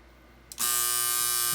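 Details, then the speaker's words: Teletype Model 33 ASR at power-on: switch click, then a loud, harsh, steady electrical buzz from the rear near the motor that changes when the motor is moved; it doesn't seem to be a capacitor. "very loud. Doesn't sound like a capacitor. Something is buzzing very loud there. Seems to be the motor there. When I turn the motor, changes the buzzing sound."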